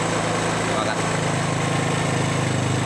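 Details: Yamaha Mio Sporty scooter single after repair for lost compression and hard starting: steady, even idle with a smooth low beat and no misfire or stumble; running cleanly, normal idle.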